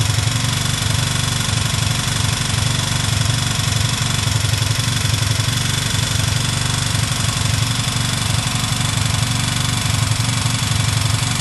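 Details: Chinese motorcycle, 162FMJ single-cylinder pushrod engine, bought with the noise: steady idle with regular light knock about three per second over exhaust beat; engine knock, source unidentified.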